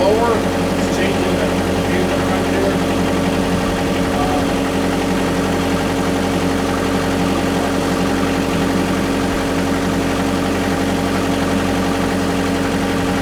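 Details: Kubota KX121 excavator after repairing the Hurricane Harvey flood-damaged auto idle motor, fuel tank refitted: diesel catches and settles into a steady even idle with constant low drone, no knocking or hunting.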